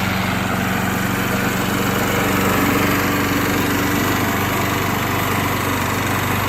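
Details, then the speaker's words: Refurbished free Craftsman walk-behind lawnmower, cosmetically worn but serviced: steady even buzz at constant speed, no stumbling, surging or rattles; normal running. "Let's go ahead and start this thing up for you guys so you can hear how it runs. And I will say, it might look not really like the best, most clean lawnmower in the world, but it definitely sounds okay."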